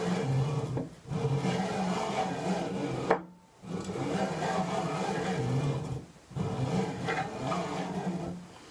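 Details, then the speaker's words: Prusa i3 MK3 during assembly, unpowered, Y carriage with belt installed pushed by hand: harsh, gritty rubbing grinds along the rails; rough Y-axis travel. "This is how the Y carriage sounds with the belt installed as you can hear, it's pretty noisy"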